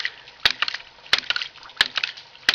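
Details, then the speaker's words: Homemade gravity-powered ram pump built from common pipe fittings, with no external power. As a valve is cracked open, sharp metallic clacks repeat evenly about every two-thirds of a second over trickling water. The second valve clicks, the pump cycles normally and water is pumped. "Now we'll crack this valve here, and you'll hear the second valve start clicking."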